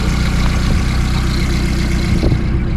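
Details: VW Polo engine idling after work on it, checked for how much it rocks on its mounts: smooth even low idle with constant note, no clunks or shakes; healthy.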